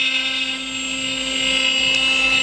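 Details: CNC router running a long finishing cut (about 1.5 hours) on a wooden gate panel, machine back up and running after problems: high steady spindle whine with even cutting hiss, no chatter or bogging; normal cutting.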